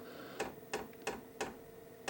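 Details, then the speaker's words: KROAK TB2 8 kW 12 V diesel heater at first start with fuel lines still full of air; crisp clicking of the dosing pump about three ticks a second over a quiet hum as the fan spins up, feeding fuel normally. "ihr hört jetzt die Pumpe. Das Klackern der Pumpe ist doch gut vernehmbar."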